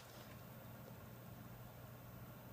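Steady low fan hum with an even airy hiss, no ticking, grinding or rising whine; the workstation is running quietly and normally.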